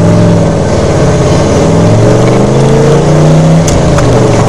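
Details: 1995 S10 with a mildly built 283 small-block V8 and NV3500 5-speed, driving under load: uneven, wavering drone that sags and surges. Fuel starvation from a completely clogged fuel pump strainer; the pump was replaced next day.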